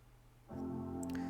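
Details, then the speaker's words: MacBook with no-sound fault, audio amp traced by sniffing I2C with logic analyzer and repaired: clean sustained Mac startup chime rings out from silence at full volume through the speaker. "Oh, we got sound. That's great."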